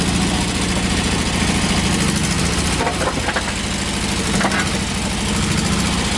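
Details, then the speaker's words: 1986 Toyota pickup, 22R extra cab with a new carburetor, freshly started: harsh, raspy idle with rapid uneven exhaust pulses and crackle. The open stack sits right behind the cab with no muffler. Loud exhaust from the missing muffler. "it has a stack but it has no muffler so it's pretty loud you could probably tell that on the inside"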